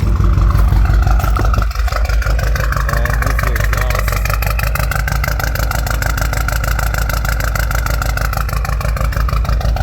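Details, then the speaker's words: BMW 328i four-cylinder with a straight-piped aftermarket exhaust and a bad misfire, shaking and smoking heavily; owner suspects a blown head gasket or bad piston/cylinder, with no milky oil. It has a lumpy idle around three pulses a second and sounds diesel-like. "yeah so it sounds kind of like a diesel"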